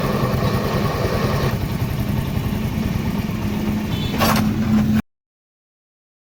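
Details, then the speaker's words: Honda CD 70 motorcycle engine running, noise from the engine when the clutch is pressed: uneven rattling clatter over the engine note, then cuts out; worn clutch release bearing, to be replaced. "तो आपने engine की आवाज़ तो सुन ली है, जो clutch दबाने पर engine से आवाज़ आ रही है, तो इस आवाज़ को आज हमने ख़त्म करना है।"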